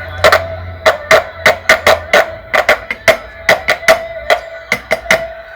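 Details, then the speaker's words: Kriesler 11-20 valve radio during capacitor restoration: irregular sharp crackles and pops about once a second through the speaker, triggered by tapping the newly fitted part; poor connection. Re-soldering the ends did not fix it, so it was desoldered and refitted. "it worked and then after a while it was making some cracking sounds so and what I was doing noticing is I was tapping it like this then it would cause a problem"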